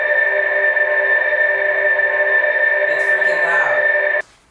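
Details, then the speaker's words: 2022 Toyota RAV4 Prime SE stock pedestrian warning system at startup, hood closed; loud steady electronic hum at fixed pitch for about four seconds, then cuts off; speaker working normally, owner finds it too loud. "i wanted to demonstrate the pws to you so you can hear it for yourself i'm going to start it up i didn't pop open the hood you're hearing it exactly as you hear if you're driving it in the morning"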